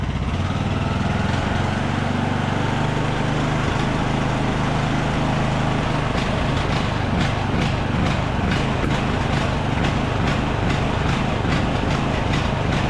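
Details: Craftsman YT3000 riding mower, abandoned about 4–5 years, full throttle with parking brake set; note hunts up and down unevenly under governor; surging, owner suspects carburetor main jet not clean enough, plans to reclean it.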